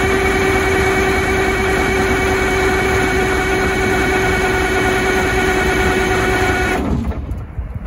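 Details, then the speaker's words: Detroit 6V92 diesel in MCI MC9 bus RV after oil pan gasket and oil line repair, oil system drained; cranked about seven seconds with fuel lever held off to build oil pressure; steady starter whine, even quick beats, no firing; healthy prime crank. "And what that's going to do is hopefully pump the oil around in it to maybe build a little oil pressure just to get oil on everything, because the oil cooler is drained."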